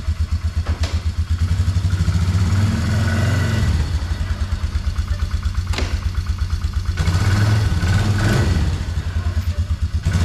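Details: 2004 Polaris Trail Boss 330 single-cylinder ATV, auction buy with water in fuel, after transmission repair for no reverse, first start before testing gears: steady low chug rising briefly with throttle blips; normal running.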